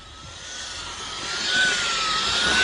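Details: 2003 VW Golf GTI 1.8 L turbo with secondary air injection fault code, engine off, pump activated via scan tool output test: loud steady air rush with faint rising-falling whine, building in volume; secondary air pump running normally.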